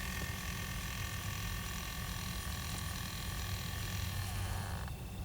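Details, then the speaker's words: 2006 Pontiac Solstice, ignition on, temperature-control blend door actuator motor before repair: when the control is moved back to cold, a thin whir runs about five seconds to the other extreme instead of stepping, so only full heat or no heat. "It should have multiple stops in between those two extremes but that's the problem I'm attempting to fix right there."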